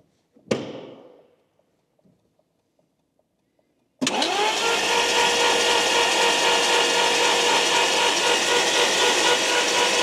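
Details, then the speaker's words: Abandoned Lamborghini Gallardo not started in a long time, fuel pressure confirmed; starter turns engine evenly about four pulses a second but it never fires; crank no start, known immobilizer fault. "so I got fuel pressure so obviously I know I'm chasing my ass here because um we know we got an mobilizer issue"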